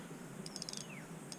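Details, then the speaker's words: Bafang 1000W 48V mid-drive e-bike motor after fitting a new one-way clutch (old one chewed up): crisp, light ratcheting clicks as the freewheel clutch is turned by hand, a healthy clutch. "fits inside there, and you see now it's clicking quite nicely. You can hear that. So the new clutch is all in"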